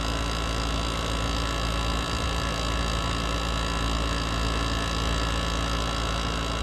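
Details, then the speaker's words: GE ASW05LKS1 window air conditioner running hot at about 163–165 degrees: loud rough strained hum pulsing about twice a second; labored compressor, possibly damaged by heat waves and constant use. "This thing is cooking. Listen to how unhappy that compressor is. This one should not sound like, so we're gonna give you a sound sample here."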